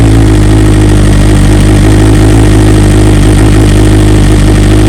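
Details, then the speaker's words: 2020 BMW S1000RR (K67) cold start after 2 ignition coils replaced under warranty and software updated: loud, steady cold idle with even, smooth firing beat, no misfire stumbles or ticking; normal. "So obviously the bike's still cold, hasn't been started at all, so we'll start it up and then you can see how the real cold start sounds now since the coils have been fixed."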